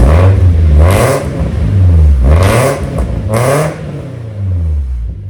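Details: Vehicle "Stomper" cold start with freshly welded exhaust after transmission fluid change: loud, deep exhaust rising and falling with throttle blips, no puffing or ticking leak; still loud but better, sounds like a proper chainsaw, running normally.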